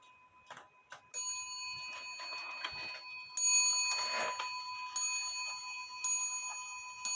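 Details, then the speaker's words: Shelf clock after bending the hammer wire away from the wood it was touching, which had prevented it striking: clear, ringing bell strikes with long sustain over a steady tick; hammer now hits cleanly. "I was telling you that the the the wire the hammer wire was touching the wood preventing it from striking but I bent it away from the Bell doesn't that sound a lot better"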